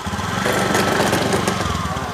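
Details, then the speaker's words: Honda Beat eSP scooter: rough uneven knocking judder from the CVT only when pulling away, normal at idle and once moving; cause was worn-out clutch linings. "dites dulu yaes dulu dengarkan suaranya di cvt-nya ini Lur kalau gak digas normal tapi pas mau awal Jalan dengarkan suaranya nah kayak"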